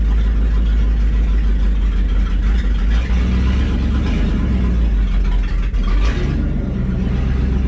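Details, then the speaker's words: Old V8 after tightening connections and a loose starter cord: steady, even low rumble with no misses or hunting; idles smoothly, unusual for it in the morning. "look at this thing see it's running better I took all the connections like that the starter cord was loose on the starter wasn't getting full crack listen to it she's that's rare for this thing to idle rate the morning this is good"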